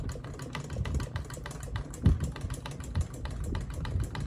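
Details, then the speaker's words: Ceiling fan reassembled after a repair, on high: fast, uneven blade rattle over a low hum. "oh oh man it's still ticking but not as loudly it's making a small ticking noise now which is not as bad now high is next blades are rattling"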